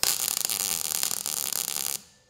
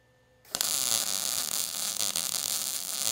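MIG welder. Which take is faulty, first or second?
first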